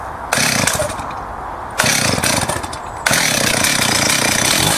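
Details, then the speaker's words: Stihl 038 AV Super chainsaw that cuts well held vertically but cuts out when turned on its side for a felling cut: revs hard in bursts, drops away and picks up again; engine cutting out when tilted, cause unknown. "Cuts beautifully in a vertical position, but the trouble is when I start to turn it on its side. It cuts perfectly that way, but as soon as I turn it into that position and do a felling cut, then it cuts out."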